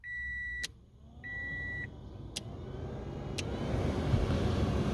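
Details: 2006–2012 Toyota Yaris cabin blower after replacing the noisy blower motor and cabin filter: two chime beeps, then a smooth airy rush builds steadily with no rattle, tick or squeal; running normally.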